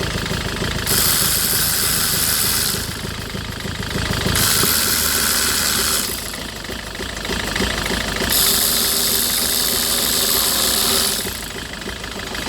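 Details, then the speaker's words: 2008 Citroën Nemo van idles unevenly with irregular knocking and surging hiss, still settling after a no-start fix via fuel filter priming; shaking blamed on excess fluid in the combustion chamber, normal once dry. "So the engine starting, but it's still shaking because there are some residue on the combustion chamber. That is too much fluid on the combustion chamber."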